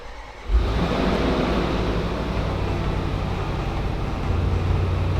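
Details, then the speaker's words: 2021 Range Rover SVR, crash-damaged salvage car being rebuilt, restart after repairs: sharp start, then an even, steady low rumble with no stumble or tapping, no airbag light. Normal idle. "seems good seems smooth it seems well smooth it's doing it right"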